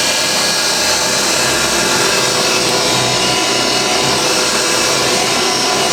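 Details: Refurbished vintage Hoover 612 upright vacuum running normally on carpet while picking up crushed Weetabix test dirt; steady, even hiss and motor hum with no surging, rattles or scraping.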